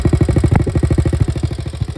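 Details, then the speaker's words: 1961 Honda 50 Super Cub, 50cc single, rebuilt from engine in pieces in a crate, run via a switch hooked to one wire, no battery; even idle putter, about twelve beats a second, no misses or knocks, sounding pretty good. "but i want to just let it run and let you hear it so you can see that it's back in the land of the living and sounds pretty good"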